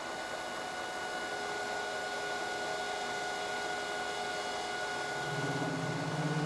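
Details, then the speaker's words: Lathe facing a shoulder while making a plug gage, hand-feeding a 0.100-inch cut: steady high ringing over rough buzzing; tool chatter, worse at slow feed and clearing when feed stops. "feeding in by hand just until I get to my zero and you can hear it chattering there right there"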